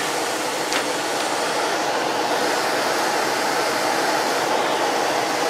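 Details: Old Goodman A49 4-ton air handler, called in for no blower action, with a dirty, moldy blower wheel and a burnt smell noted. A steady, even rush of air with no scraping, rattles or hum surges. Blower running normally.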